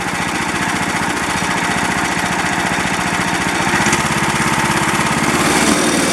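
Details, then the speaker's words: 13.5 HP Briggs & Stratton small single after ultrasonic cleaning of the carburetor's blocked passage: revs smoothly and returns to idle without the earlier surging or dying. It now runs clean. "So well, that's encouraging because it doesn't have that surge, the surge like it was doing, and it's not dying. So let me rev it up one time and let off and see if it's going to continue running."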